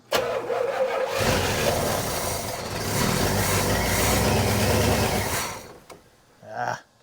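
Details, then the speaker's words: 1977 Pontiac Can Am, first start after years sitting, on starting fluid: catches and runs rough about five seconds, then dies with a cough; won't stay running, fuel supply suspected, battery losing charge. "It is alive. No, it's not. Oh, we're losing our charge."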